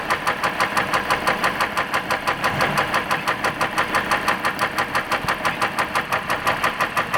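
Heavy, evenly spaced knocking at about two per second rides over the diesel idle; a severe knock from deep in the engine.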